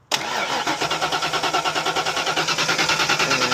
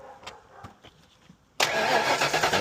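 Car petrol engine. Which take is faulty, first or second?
first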